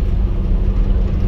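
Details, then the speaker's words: Toyota Land Cruiser 80 series with a four-inch lift, new double cardan front driveshaft, coasting off throttle at cruising speed: only even low road rumble, no shudder or vibration, so the front driveshaft is silenced. "if anything it's so quiet that i'm wondering if because i did the front drive shaft only i'm wondering if i can barely hear the rear one just a little bit barely but the front is uh totally silenced"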